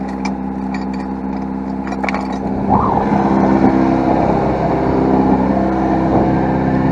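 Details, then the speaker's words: 1992 Toyota Tercel, 4-speed manual, freshly reinstalled engine, idle bumped up because it wouldn't stay running: steady even idle noticeably fast, swelling slightly; idle set too high. "I think it's the idle. It is idling a little high. I had some issues with it where it wouldn't stay running, so I had to bump up the idle."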